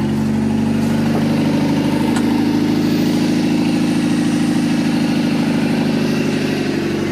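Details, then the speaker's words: Abandoned Chevy S10 pickup just after a new distributor and new cap were fitted: steady, even idle with smooth firing and no miss, knock or hunting, running clean with no coolant in it yet. "awesome see I told y'all that was the problem all along y'all didn't know"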